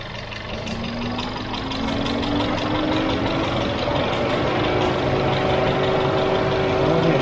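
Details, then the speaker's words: VW Golf 6 1.4 TSI (CAXA), cold idle on first start after timing chain replacement: even idle with no chain rattle, just a faint rising whine from the fuel pump because the engine is cold; runs healthy. "zincir işlemleri bittikten sonra ilk çalıştırması bu şekilde fark ediyorsanız iyi dinleyin zincir sesi hiç yok gelen ses Şuradaki benzin pompasından araç soğuk olduğu için"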